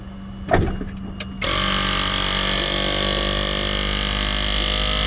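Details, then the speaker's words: 8-year-old Tesla Model S 85 after replacing the noisy brake vacuum pump, microphone close under the bonnet: click, then steady even buzzing hum of the new pump, which is silent from outside the car. "the new pump is in all intensive purposes, absolutely silent from outside the car now."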